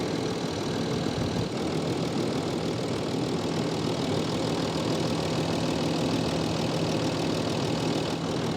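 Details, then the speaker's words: Land Rover Discovery 3 2.7L TDV6 diesel, 255,000 km, after oil change: steady idle with faint light tick over the rumble; owner accepts ticking for mileage, injectors never changed and may need checking. "So it's running good, a bit of ticking, but it's run 255,000 kilometers, so it's allowed to tick a bit."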